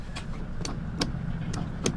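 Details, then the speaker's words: Hydraulic pump motor for a camper slide-out. Five sharp clicks come from the solenoid, with over 13 volts present, but the motor never spins up; the cause is suspected, not confirmed. "si tu vas sur le moteur sur le genre de solénoïde là tu entends le claque clac"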